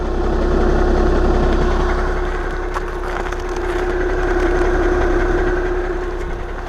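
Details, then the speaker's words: 2011 VW Jetta TDI common-rail diesel with DSG, cold idle, heard with the underbody shield on and hood closed: steady low drone with an uneven rattling chatter on top; noisy dual mass flywheel. "The dual mass is a little bit noisy. So you can hear the dual mass, even though the plastic shield under the vehicle is there, hood is closed and everything. You can definitively hear it."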